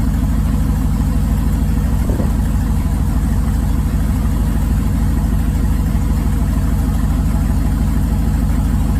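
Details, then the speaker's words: 2005 5.3 LS V8 in a 3rd-gen 1980s Firebird, straight pipes, flex fuel rail removed, throttle body changed, return-style fuel, cold in Canadian winter and not revved. Deep, loud open-exhaust burble at a steady, even beat, no misses or knocks; healthy cold idle. "Rev the snot out of it while it's cold, but sounds good to me. Oh yeah, music to my ears."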